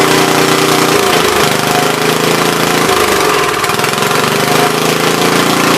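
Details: Troy-Bilt tiller after replacing bad spark plug: steady fast even putter with slight speed dips, no misfire or knock, normal.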